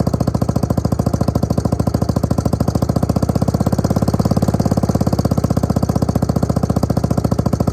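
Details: Suzuki LT250E Quadrunner single-cylinder quad after repair for fuel starvation and idle problems: even beat about three and a half pulses per second, steady with no surging or stumbling; fixed.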